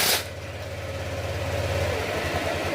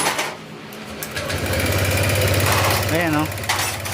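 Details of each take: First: Honda Click 125 V3 scooter that smoked after a previous shop's repair, now rebuilt with muffler refitted, fresh coolant and new oil: smooth, even low idle with no knocks, ticks or misses; acceleration no longer delayed. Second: Honda Click 125 V3 scooter idling, still smoking after a recent repair: fast sharp loud valve train ticking blamed on worn valve guide that was not replaced, causing exhaust smoke despite new block.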